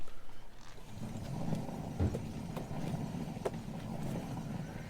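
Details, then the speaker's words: Jeep TJ rear wheel turned by hand gives a low, rough rumble with scattered knocks and visible up-and-down play in the whole assembly; worn rear wheel bearing, to be replaced. "that's what a bad wheel bearing sounds like and you can see the up and down movement it's very apparent"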